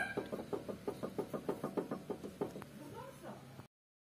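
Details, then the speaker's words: 2012–2016 Honda Civic FB7, front suspension noise: sharp, hollow knocks about three a second as a worn sway bar (Z) link ball joint is rocked by hand. This is the cause of the noise, and the fix is replacing the link. "Evet takıntının sebebi şu zehir otunun rot başından kaynaklı şöyle oynatıyorum lıkır lıkır Yine ses yapıyor"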